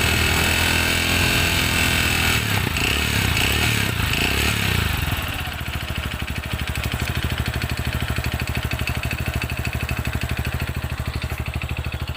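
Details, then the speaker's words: TVS Radeon BS6 single-cylinder bike, cold idle: dull hollow knock on each beat, about three a second, persisting for months; mechanic calls it piston slap. "कि तुम्हें कुछ clear बताता हूं कि इसका जो आवाज है दोस्तों यह क्वेश्चन का आवास है"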